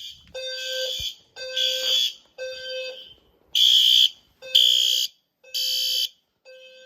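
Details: System Sensor fire alarm test (L series strobe, P2R, P2R LF, P2GRL, SRL): loud shrill horn blasts repeating about once a second in a room, all sounding together; horn-strobes working normally on test.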